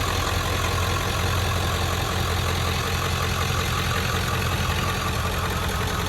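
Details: 1997 Ford F-250 with the 7.3 Power Stroke diesel, automatic four-speed, 4x4, 125,405 original miles, just started: steady, even diesel clatter at cold idle with a deep, unchanging rumble underneath; no misses or knocks, a healthy idle.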